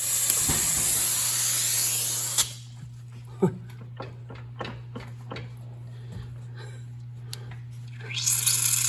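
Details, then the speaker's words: Punctured tire holding 15 psi on company equipment, checked with soapy water after adding Flat Out sealant: sharp steady hiss of escaping air cuts off then returns, bubbles visible; air leaking through the puncture. "with a little soapy water see if we get any bubbles oh yeah there they are so you can hear it it's got 15 pounds in it"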